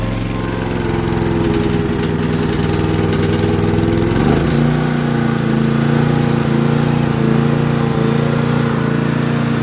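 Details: Honda EG2500 generator, first start after sitting an unknown time in a semi trailer, choke on, clean oil, gas smells okay: steady even hum shifting smoother partway as if the choke came off, then holds steady; runs healthy, voltages within spec.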